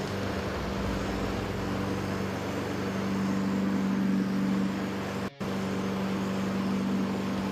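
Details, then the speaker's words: Honda HRN216 lawn mower after a full general service and tune-up with a sharpened, leveled blade: steady, even single-cylinder drone at constant speed, smooth blade hum, no surging, knocking or shake; healthy. "Look, you can see there's no shake. There is if I touch it. That's from the blades being so perfectly leveled. Sounds good."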